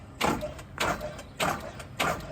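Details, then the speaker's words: Truck at job site, started fine that morning, batteries cleaned, key held down: slow, repeated cranking bursts about every 0.6 seconds that never catch; cranks but won't start, starter motor suspected after tapping it, unconfirmed. "just holding the key down. And it's not like you're going on and off. And we cleaned up the batteries, so it's getting plenty of juice to the batteries."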